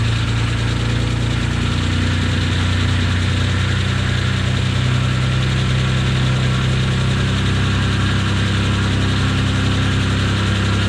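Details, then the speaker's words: 1992 Dodge Stealth RT (3000GT) first run after reinstalling a repaired ECU, oil not yet changed: engine idles with loud steady whirring drone over a busy low rumble; owner says a bearing is noisy, bearing noise. "motor's running I didn't oil change you hear that audible noise that sounds horrible"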